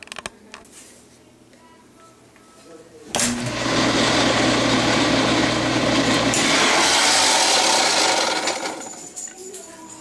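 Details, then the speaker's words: Maytag Jet Clean Quiet Pack dishwasher running: quiet start, then a loud, harsh rasping roar with a low hum; a broken discharge pump housing piece had fallen onto the impeller and rubbed it, fixed by gluing. "I found that the discharge housing assembly had basically broke peace had separated and fallen down and was sitting on the impeller and that was causing the noise that you heard"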